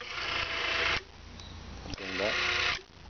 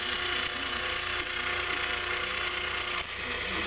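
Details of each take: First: RCS SURE 25-10 CCW actuator with SCC-10 servo board, after resetting the open cam so the motor stops at full counterclockwise: two short high-pitched motor whirs, each cutting off cleanly as it stops at its limit. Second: Open cam limit switch misadjusted on an RCS SURE 25-10 CCW actuator with SCC-10 servo board: the motor is live and keeps running past full counterclockwise, a steady gear-motor whine with light ratcheting buzz, not cutting off. The open cam needs adjusting until the switch clicks.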